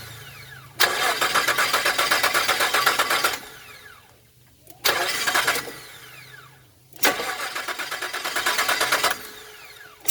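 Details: 2001 Nissan Frontier 3.3 V6: three bursts of steady starter cranking, about four compressions a second, engine never catches; cranks but no start, cause unknown.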